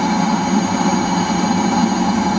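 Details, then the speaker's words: Eberspacher D5W 5 kW 12 V water heater in boost mode with the water over 50°: a steady burner roar and constant fan hum, no surging or popping. Normal boost operation. "and heat now over 50° when it reaches 60 it will drop boost mode getting quite quite warm there hot"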